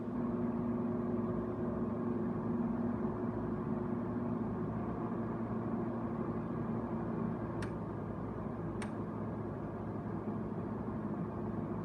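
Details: Haier QTPC05AA 5050 BTU window air conditioner on low fan: steady even low hum with a soft airflow hiss and two light clicks; runs smoothly, normal operation.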